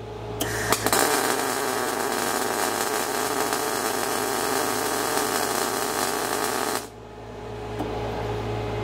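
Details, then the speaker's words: Everlast Cyclone 212 MIG welding carbon steel with inductance at 100 percent: steady soft frying arc with few pops, puddle too wet; inductance set too high, preferred 30 to 50 percent. "do you like it 100 no it's a little a little too wet personally i mean i like 35 to that 30 50"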